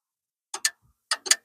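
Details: Infiniti Q50 S hybrid (HEV) that will not start: after codes are cleared on a start attempt, short crisp relay clicks in pairs and singles with silence between. The pre-charge relay switches normally; the next relay stays off and is suspected of causing the code.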